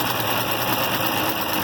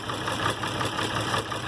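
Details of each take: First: IH Farmall 706 after a new carburetor and mixture adjustment: steady, even idle of about 3.5 pulses a second with no misses; normal idle. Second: IH Farmall 706 with a new carburetor, throttle pushed fully closed after idle adjustment: a slow, uneven idle, barely holding on and close to stalling. Idle speed set too low; mixture not yet tuned.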